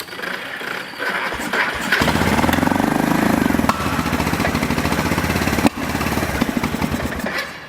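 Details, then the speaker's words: Long-sitting Kawasaki 300 ATV single-cylinder after carburetor work, still needing choke to run and drive: uneven putter that surges and sags, never settling to clean idle; owner suspects tank not venting, a fuel screen, or something in the carburetor — runs only on choke. "But for some odd reason, it is still requiring me to run the choke to get this thing to drive. It's testing my patience."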